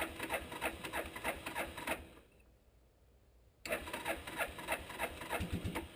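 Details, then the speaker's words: 1988 Suzuki Quadrunner 300, long-sitting, cold start around freezing, hard to start cold, extra choke knob pulled for full choke: steady cranking churn about three beats a second, pause, cranking again as it comes to life; won't start without full choke. "yeah it's gonna go it's been sitting a long time anyway so it's as cold as this out here it would never have started unless you have that full choke"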